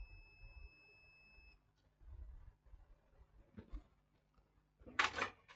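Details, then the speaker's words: HP ProBook 645 G1 laptop with no power: meter gives one unbroken continuity beep, zero ohms across both sides of capacitors on main 19 V rail, dead short. "let me check those capacitors zero this one is reading zero this one is zero this one is zero so what can be the show what can be shorted here zero ohms the other side of the capacitor zero ohms"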